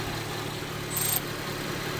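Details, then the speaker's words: 2016 Honda HR-V with brand new engine, mass airflow sensor disconnected and check engine light on: quiet smooth idle, even low hum, no ticking or stumbling apart from a brief high chirp; idling fine. "Car is running great right now. Idling beautifully. Brand new engine."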